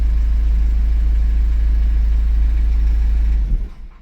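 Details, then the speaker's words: 2014 Subaru Outback 2.0 L turbo diesel, cold start: steady low idle pulse for a few seconds then it sags and stalls, doing so about 30 seconds after starting; it won't stall with revs held up. "It just stalls after a few minutes. Oh, not a few minutes. What am I talking about? maybe 30 seconds."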